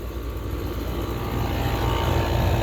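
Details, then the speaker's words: Trane outdoor AC condenser just switched on: heavy, loud low droning rumble with a rough throb, coarser than a healthy unit; owner thinks a power outage may have made it sound weird, unconfirmed. "I don't know what's going on with the train. It just sounds, it does not sound too good."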